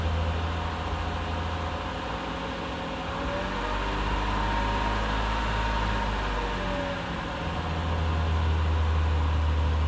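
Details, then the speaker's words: Mercedes 300SE gasoline engine stalling intermittently after a fuel system cleaning. Fuel pressure apparently good, but the low idle sags and wavers as if about to die; owner says it's losing fuel and feathering the accelerator would have kept it running. "that's really what it's doing it's losing fuel"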